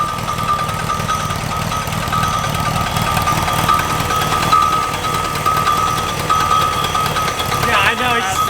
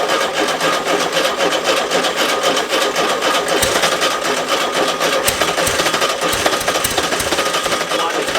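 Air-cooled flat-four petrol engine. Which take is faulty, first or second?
second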